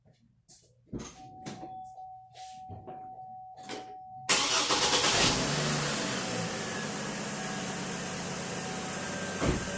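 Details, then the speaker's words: 2006 Chevy Trailblazer after replacing the squeaking serpentine belt: clicks and dash chime, engine starts and settles to even idle, no chirping or squeal. "She's running smooth as eggs now. No chirping. Got that fancy new belt."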